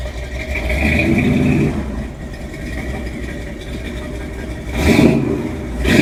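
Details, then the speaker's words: 1966 Chevy C10 V8 with 3-inch exhaust and Flowmaster Delta 50 mufflers loosely fitted before welding: smooth idle burble climbing cleanly on two throttle blips, with no rasp, drone or leaks; a healthy, fairly quiet exhaust note. "sounds pretty good actually kind of like it"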